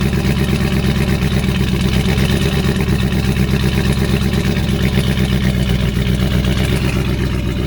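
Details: 2019 Camaro SS, 6.2L direct-injection LT1 V8, before repair: uneven, lumpy idle with a loping stumble about three times a second; misfire from an injector stuck open, fuel found in the oil overfilling the crankcase.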